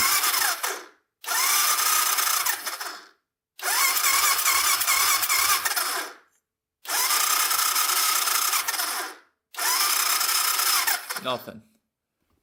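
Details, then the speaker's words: Honda ATC250SX three-wheeler cranked on the electric starter: four bursts of fast, high whirring with silence between, and it never catches. Compression is felt at the plug hole, but there is no spark: no start. "not getting anything it almost sounds like the engine's not spinning over but holding my finger over the spark plug hole you can feel it feel it pump over here all right so no spark yet"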